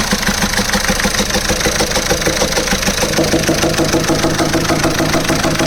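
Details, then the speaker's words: VW Polo/Vento diesel engine after a timing mistake: sharp regular clatter about three knocks a second over loud idle from two broken rocker arm tappets on cylinder one, found under the cam cover. "അതിന്റെ tappet പൊട്ടി കിടക്കുകയാണ് അതിന്റെ sound അപ്പൊ രണ്ടെണ്ണം tappet പൊട്ടിയിട്ടുണ്ട്"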